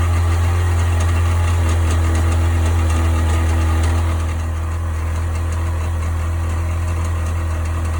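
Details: 1998 Sea-Doo GS 720 idling: deep, heavy idle with steady knock about four per second holding through a slight rev change; source unidentified.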